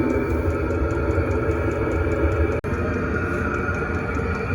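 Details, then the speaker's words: Chinese diesel heater installed on a bus, test run, recorded outside at the exhaust and muffler: steady low rumbling hiss, even apart from one brief dropout, louder outside but inaudible inside; running normally. "Alright, we're continuing to let this thing run. It's a little bit loud out here, but on the inside you can't hear the exhaust at all."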